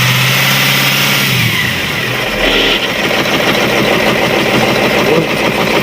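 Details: Cat 3208 starboard marine diesel after repairing the plunger and barrel, which had stuck from corrosion after 18 months: catches and revs briefly, then settles into a steady, even diesel idle with no stumbling. Running normally.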